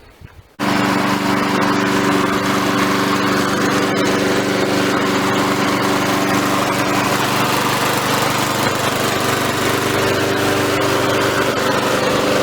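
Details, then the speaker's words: Victa mower restarted and left running to burn the oil out of the muffler. It fires up and settles into a steady, even buzz with no misses or knocks; it is now running fine. "alright so now it's running fine which is great so you're still gonna wipe it out that muffler until all the oils gone"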